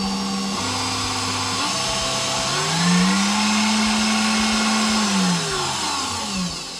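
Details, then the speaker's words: KitchenAid Professional 600 stand mixer after replacing the worm gear follower, which had caused gearbox grinding: the motor whirs smoothly up through its speeds and back down, an even whine with no grinding or clunking. Normal running. "Go ahead and turn it on. Looks like we're working. Maybe a little bit more."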